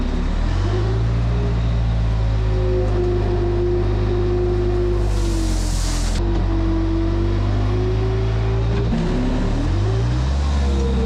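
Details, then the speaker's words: Case 430 skid steer with replacement rebuilt 4.5 FPT diesel: deep, even drone that dips in pitch as load comes on and recovers cleanly, no stumble or miss, no black smoke under load; engine healthy. "it sounds good no smoke whatsoever like not even when you're loading it down it's not puffing black"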